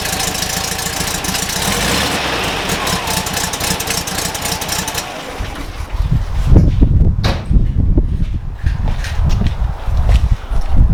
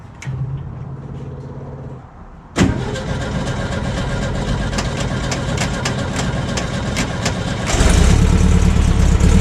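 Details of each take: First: VW Kombi engine idling steadily and smoothly with no misses or stumbling after fitting the rebuilt carburettor and tuning it; runs much better than before, normal idle. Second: VW Kombi with a freshly rebuilt carburettor fitted, before tuning: it cranks and catches, then idles unevenly with a lumpy, hunting beat and a rev blip; rough running.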